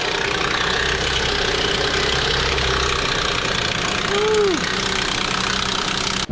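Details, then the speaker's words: Nissan Pathfinder VQ40DE V6 at idle before repair: constant loud dry metallic clatter over low rumble; worn timing chains, guides and tensioners, later all replaced. "look at how loud that"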